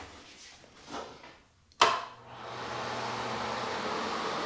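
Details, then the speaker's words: Bathroom exhaust fan after replacing the fan whose motor bearings had failed: switch click, then smooth, quiet, steady airflow hiss, normal running. "there you go nice and quiet"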